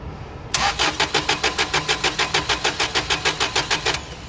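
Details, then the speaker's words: Toyota 8 Series 5,000 lb LPG forklift, 4Y-ECS engine, imported from the States with a hard-start issue: steady starter cranking about three turns a second for over three seconds without catching while the adjustment screw is backed out counterclockwise; still a long crank, no start. "Okay, let me try this again. So it's still long crank. Okay. Back this out just a bit more."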